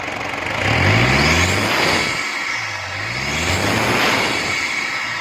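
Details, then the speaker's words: Toyota Prado diesel after full tuning and cleaning of all diesel pipes for low pickup, black smoke and knocking complaint; engine starts and revs up and down smoothly, clean and even, no knock; running healthy. "ਠੀਕ ਹੋ ਗਿਆ engine ਵੀ check ਕਰੋ ਸਹੀ ਸਾਫ ਹੋ ਗਿਆ।"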